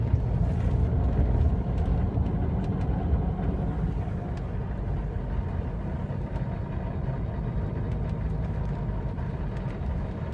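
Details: Mercedes 300SD diesel with 2 bad injectors: rough, uneven idle with irregular knocking through a steady low rumble.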